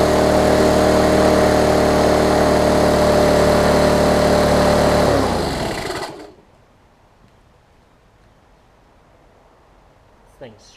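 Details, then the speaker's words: Lawn Chief push mower engine, turned 180 degrees with new recoil cover, air filter found backwards: steady run with a faint light scrape over the engine note before shutdown; owner suspects the air filter cover rubbing the guard. "on the a little guard scraping on the mower but oh i think it's air filter i think this air filter cover is messing it up"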